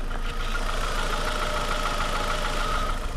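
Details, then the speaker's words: $50 car at idle: light, quick tick-knock riding on the engine note that goes away when revved; owner doubts it is rod knock and plans a coil-by-coil cylinder test. "now that little ticking knocking sound that idle that you hear and if you guys pick it up"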